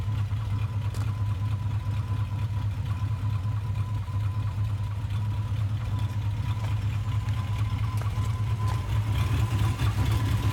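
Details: 1991 Jeep Grand Wagoneer AMC 360 V8 at idle, recent water pump, 20W50 oil: soft irregular knock about two beats a second, seemingly half engine speed, speeding up with revs then inaudible; heard under car and engine bay.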